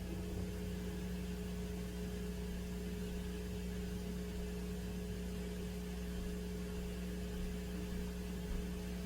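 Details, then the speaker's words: Turntable with a cartridge, volume at maximum: a constant low hum with a higher buzz. It is unchanged when the motor starts or toward the record centre. The owner suspects pickup from the turntable's rear transformer rather than the motor. "So the transformer, that's what I figure it's picking up. Because and I'm still getting a hum."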